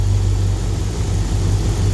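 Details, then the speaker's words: Flatbed truck, freshly installed spare 5.9 Magnum V8 (replacing knocking high-mileage engine), reaching operating temperature for the first time, cooling system still bleeding: deep steady even rumble, lifters now quiet, injectors audible, no knocks or ticks; normal smooth warm idle. "the lifters finally quieted themselves down i mean i can hear the injectors firing over the mechanical noise the engine makes so i'm happy this thing's running smooth"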